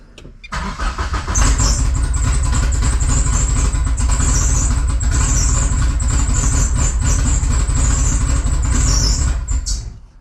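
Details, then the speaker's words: Mitsubishi 2G GSX on FuelTech ECU, after CAS connector fix, post-start enrichment being reduced: engine catches and runs roughly about nine seconds then fades and shuts off; stalls after start, mixture way too rich immediately after starting. "I think it was just way too rich 0 seconds into starting, and so it would immediately shut off."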